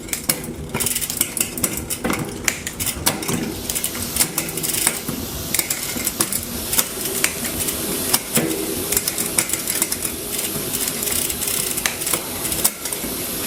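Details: Trek Top Fuel MTB after new cassette, chain and cable: quick even freewheel ticking with crisp single clicks at each gear change, no grinding or chain skip, over a washing machine hum; shifting is clean.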